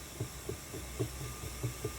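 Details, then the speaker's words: Ashford E-Spinner 3 spinning wheel running: soft low "whomp" thumps about four per second over a quiet motor hum. The suspected causes are brake cord tension slipping and the bobbin travelling back and forth. "so what is it who's guilty of making this womp womp womp sound is it suspect number one could it be the break can you feel the tension"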